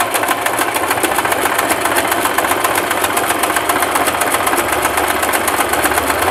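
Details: Singer Simple 3232 sewing machine sewing a wide zigzag at stitch width 5: fast, even needle ticking at a steady rate with no knocks or grinding; stitching zigzag normally.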